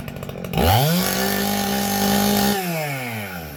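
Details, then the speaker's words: Husqvarna 266XP chainsaw after chain sharpening and bar service, unloaded full throttle during carburettor tuning: even warble breaking into a four-stroke burble; high-speed jet backed out slightly, set right, not lean. "okay four strokes and it went right to too high of a r so I'm going to back it out just a little bit"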